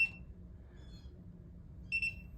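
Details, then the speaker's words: New replacement ULTRALOQ U-Bolt Pro smart deadbolt, interior unit reinstalled: two short high beeps a couple of seconds apart with no motor whir. Lock still not operating the bolt; cause unknown. "All right. Still not working. That's annoying."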